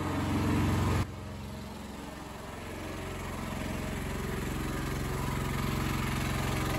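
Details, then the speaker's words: Honda EX1000 suitcase generator, choke believed now off, load test: engine note drops sharply as load comes on, then holds low and strained; owner says it's definitely labouring, unit getting warm. Engine labouring under heavy load. "let's go out and look at it it's definitely laboring"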